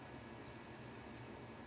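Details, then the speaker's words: Xbox One console after its noisy cooling fans were swapped, powered up to check that the noise is gone: a faint, even airy hush with no rattle, scrape or whine; the new fan spins silently and healthy. "silent fan spin i should add wicked"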